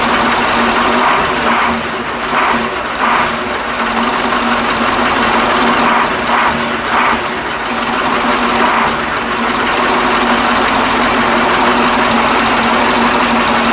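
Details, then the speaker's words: KAMAZ 65225 Euro-2 diesel truck, reassembled after an engine-knock repair, first start: steady idle with an even, soft injector tick and no heavy metallic knock; owner notes only a very faint metallic sound from an injector line. "короче ребята вроде это нету звука то я чувствую что трубка на тынде дети железный звук но это вообще тихонечко такой"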